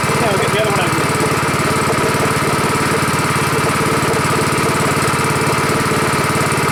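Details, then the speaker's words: Rebuilt Honda 5.5 HP single-cylinder engine running outdoors after rebuild: low, fairly steady idle with even beat, lower and better than the other engine; normal healthy idle. "Seems to work pretty good. Idle's better than another one. Lower. That's good."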